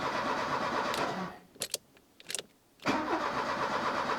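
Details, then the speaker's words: 1984 Opel Ascona 1.6S, fresh battery: even crank with steady compression beats, a pause with clicks, more cranking that never fires; cranking, no start, suspected no fuel, gauge reads empty. "and it's sounding decent even compression uh at least but it's not starting it's probably not getting any fuel and I don't even know if there's fuel in the tank"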